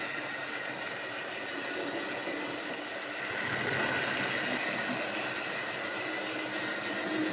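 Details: Wrenn West Country class model loco Lyme Regis, not run since the 80s, after joints greased and reassembly: even whirr with light rhythmic wheel and gear clicking, no grinding or stutter; sounds healthy.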